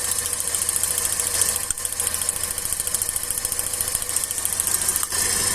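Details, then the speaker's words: Car engine with a cylinder misfire from a bad spark plug: a lumpy, irregular idle with a shake that never settles, and pulling that cylinder's plug wire made no change, identifying it as the dead cylinder. "E o motor nem se mexeu nesse, ou seja, já sei que é esse, ó."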